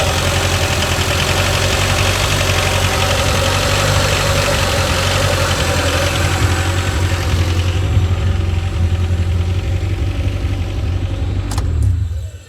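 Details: Rover 416 GTi, previously a non-runner that cut out, first start after fitting a new part; steady low idle, uneven and lumpy with occasional stumbles, sounds misfirey, cold, before warm-up. Cause not confirmed.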